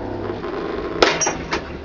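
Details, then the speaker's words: Hoover 200M washing machine, given away and left outdoors for weeks, dry-run test powered live: quiet running, then a sharp clunk and weaker second clunk, sounds like the drum clutch solenoid pulling in harshly; doesn't sound happy, cause unconfirmed. "sounds like it's pulling in the solenoid um for the clutch on the drum doesn't sound happy"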